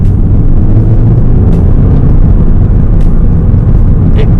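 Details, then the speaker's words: Audi TT Mk2 (197 bhp) while driving: a constant deep rumble and roar in the cabin at speed that is road noise rather than exhaust. The owner wonders whether the big rear window is to blame. Excessive cabin road noise. "not as in like you can hear the exhaust of the engine, but I hear a lot of road noise in this car. I don't know whether it's due to the big back window or everything, but it is quite noisy in this car."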